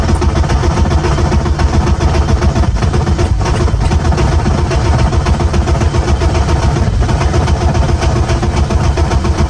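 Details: BMW E36 with a new ECU: steady starter churning about four beats a second, nearly catching but never firing on its own. Cranks but won't start; owner suspects the previous ECU failing.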